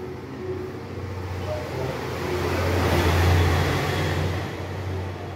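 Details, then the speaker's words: 2014 Peugeot 308 1.6 manual, 79,000 km, test drive after replacing front shock absorbers and strut mounts that had made loud front suspension noise: steady road and engine hum, no clunks or knocks over bumps; front suspension now quiet. "travamente carro batia tudo galera tudo tá ficava um barulho absurdo na suspensão dianteira meu ficou show não ouvi nada tranquilo tá"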